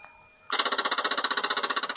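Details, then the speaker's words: Stolen, abused Royal Enfield Meteor 350 of unknown mileage, first start attempt with the kickstand down and the fuel pump primed: rapid even clicking for about 1.5 seconds, no cranking; flat battery and loose battery cables leave the starter chattering. "all right we got a dead battery but it's trying to do something well thankfully the lock for the side panel's also been destroyed so it won't be too difficult to get into the fuses and the battery okay well the cables are loose"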